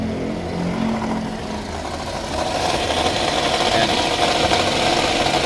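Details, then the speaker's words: Toyota Vios with the battery warning light on from low alternator charging; a rough scraping grind rides over the idle and swells. The alternator was opened and the rotor was found rubbing inside. "parang kinakayod may ginigiling sa loob so ibababa natin yan titingnan natin kung ano yung sira sa loob"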